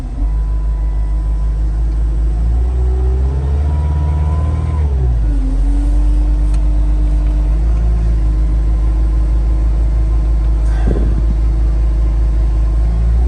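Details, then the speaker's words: 2019 Cat 259D skid steer with 2011 hours, one owner and well maintained, just after start: deep steady diesel rumble settling after a brief rev, even and smooth with no knocks or misses; healthy engine. "As you can see, it starts right up, no issues."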